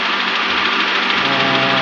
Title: 2007 HONDA ACCORD K24/Engine Knocking Sound/Cause & Remedy(Part 1)